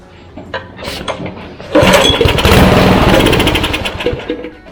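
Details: Craftsman rototiller after pull-cord replacement and a fuel problem: catches and settles into a steady, even putter with music over it; running normally.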